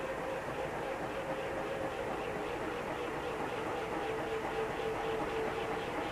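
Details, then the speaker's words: Safer-made Airmaster industrial ceiling fan, steel blades and stamped steel motor, revived from a stiff bearing and blown capacitor, switched 0 to high drawing about 0.7 A: steady whoosh and faint hum slowly building speed; healthy. "And it sounds like it's still accelerating. So one thing about steel blades, they take a long time to speed up, and then they will have a long spin down time."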